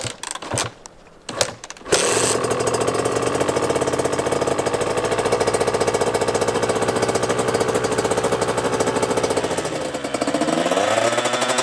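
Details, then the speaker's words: Friend's KTM two-stroke, first starts after engine rebuild, carb cleaned of old fuel and rejetted for winter (48 TK needle, 182 main jet), bike had sat a while; fires after a few kicks, crisp even crackle, clean blip; normal running. "No niin, nyt on todettu pyörä toimivaksi ja lätkästiin tommonenkin tonne noin"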